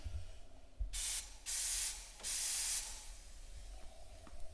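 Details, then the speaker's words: Holden drag car being boost-leak tested at about 10 psi with turbo blocked off and idle air control valve sealed; sharp bursts of high airy hiss as air leaks around the shaft of the standard LS1 throttle body. "There's a bit coming out around the shaft by the looks of it on the throttle body. I can hear it hissing."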